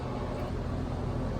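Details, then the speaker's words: New Lennox condenser installed in November, no cooling: the contactor closes and the capacitor tested fine. On start there is a heavy steady low hum and the compressor never spins up. Suspected locked rotor, likely what blew the fuses. "sounds like it's a locked rotor have you heard that but that's the compressor trying to start and that's probably what blew our fuses"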